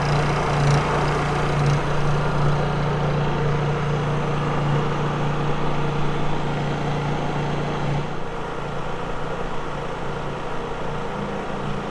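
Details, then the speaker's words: Honda EU3000is inverter generator just started on first recoil pull, with choke on: quiet smooth steady hum, slight pitch drop near the end, exhaust on back side; normal running. "Look at that. First pull. See how quiet that is? Exhaust on the back side there."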